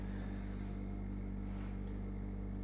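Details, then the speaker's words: 1969 Danish air compressor built from a refrigerator compressor and a butane gas tank, getting warm as expected: a low, steady, very quiet hum with no knocks or rattles, running smoothly. "yeah it's very silent and i think my neighbors will like it because it don't sound so much"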